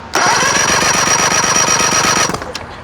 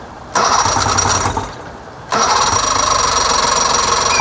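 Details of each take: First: 1999 Johnson 70 hp two-stroke outboard that won't start, cranked on a jumper button with key off and plugs out for a compression test. Brisk, even cranking; cylinder one reads about 130 psi. Normal, healthy compression. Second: 1999 Johnson 70 hp two-stroke outboard with air box off. With air mixture screws at about 2.5 turns, two long cranking bursts give ragged firing that never catches. Hard starting.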